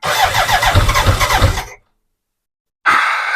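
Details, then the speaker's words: BMW K100 cranking after new fuel pump fitted: starter churns about three beats a second, engine catches briefly but never runs; no fuel pump whine heard, owner now suspects pump wiring rather than pump. "that fuel pump should be making noise so you can hear it kicks when it tries to start so I know makes me think it's the fuel pump"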